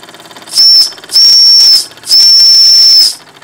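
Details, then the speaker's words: Wilesco D6 model steam engine: whistle opened to drain boiler pressure, three shrill steady high kettle-like blasts, short, short, long, with the engine beating quietly underneath; a working steam whistle that uses much steam. "I'm going to open the whistle up a little bit here to lose some pressure"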